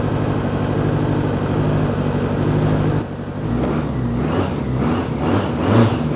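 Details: 1993 BMW K100 motorcycle after long storage, new battery and fuel pump fitted; the engine runs with an uneven, stumbling beat that never settles into a clean idle, rough running the owner suspects comes from sitting unused, with a strong smell of old gas.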